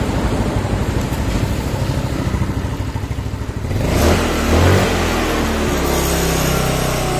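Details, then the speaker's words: Yamaha Mio single-cylinder scooter after a compression-loss repair (leaking valves, carbon deposits, new valve cover); it putters steadily, revs briefly and settles to an even idle with no knock, leftover oil in the exhaust; now smooth, running properly. "nah ini sudah halus ya ini knalpotnya ini ada sisa oli di dalam knalpot"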